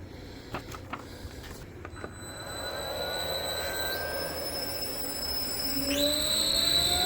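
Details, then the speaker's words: 3-phase 7.5 HP (5.5 kW) regenerative ring blower, a CNC vacuum pump, on a budget 10 HP VFD, after cleaning out debris: smooth, even motor hum with a clean electronic whine rising with speed; no rubbing or rattle, running fine. "oh actually that sounds a lot better now yeah I think we're good that is acceptable"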